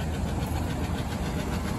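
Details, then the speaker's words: 2000 Chevy K2500 bought as a parts truck, first start, distributor loose: a rough, rumbling idle with quick, gnarly lifter tick from the top end. "Wow. That is some pretty gnarly lifter tech."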